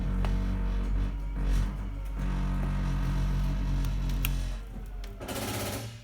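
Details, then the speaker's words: 2020 SportTrek Touring 343VIK flush-floor slide-out extending: steady low motor drone, then rapid uneven ratcheting clatter as it sinks to floor level at full extension; normal, ratchet signals slide fully out. "This is a flush floor slide, so as it reaches its full extension, it'll sink down to make a flush transition with the floor. And when you hear the ratcheting sound, you know your slide is fully extended."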